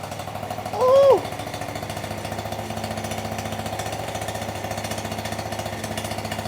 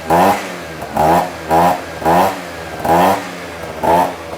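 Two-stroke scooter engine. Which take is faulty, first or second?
first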